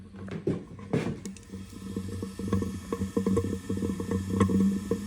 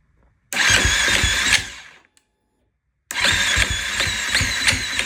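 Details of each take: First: 2016 KTM 350 SXF after top-end rebuild, crank no start, leak-down test holding about 95 psi: soft irregular bubbling of air escaping at a low rate; good sealing, fault later traced to worn torque limiter gear. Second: 2016 KTM 350 SXF after top end rebuild and new sprag gear: two bursts of fast, even cranking that never catch, sounding like low compression or valve issue; cause was a worn torque limiter gear.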